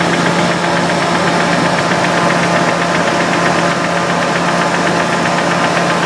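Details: Nissan 300ZX engine, bottom end rebuilt three years ago, idling evenly with a dull knock keeping time with the crank; knock appeared after a short vigorous motorway run, no oil blow-by, revs freely; owner suspects oil pump as pressure reads erratic.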